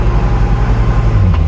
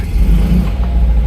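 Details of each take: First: Classic Fiat 500 with clutch pedal in, in any gear including reverse, light rev: idle then sharp rattling knocks that vanish with clutch out; worn clutch pilot bushing letting gearbox input shaft rattle. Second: Classic Fiat 500 after the engine was removed and the spigot bearing was addressed: clutch down in gear, only a smooth, low engine hum with no rattle or whirr. The earlier awful clutch-in noise is gone, so it is fixed.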